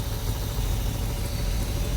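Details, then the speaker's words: 1978 Corvette V8 just revived after inverted battery cables fried the HEI module and coil, run with no belt and no coolant: low, lumpy loping idle with uneven pulses and a lot of smoke. Likely not firing on all 8; firing order to be rechecked. "For sure ain't running on all 8, but it for sure is running. Yeah, I doubt it's running on all 8. We gotta double check firing order."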